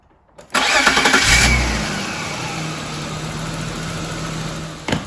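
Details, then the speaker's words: 1997 BMW 328i E36 convertible 2.8 L inline-six after $25 vacuum hose repair, previously rough idle and stalling when cold: quick crank, clean catch, steady even idle and revs; running well for first time in 5-6 years. "well guys as you can see seems to be running perfect I'm going to give it some revs well guys seems to be running perfect I revved it up probably first time it ran good in about five or 6 years"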